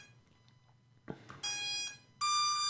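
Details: Hubsan Zino Mini Pro drone powered on before a firmware update, controller already on: two steady high beeps, each about half a second with a short gap, in a quiet room; normal power-on startup tones.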